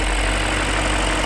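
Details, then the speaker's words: BMW E39 idling after the cylinder 2 ignition coil was replaced with a new one and all spark plugs were renewed, which cured its cylinder 2 misfire: smooth, steady idle with an even hum, vibration gone, no stumble or shake; normal. "그렇게 하니까 진동의 다 사라졌어 흄 엄청 부드러워요"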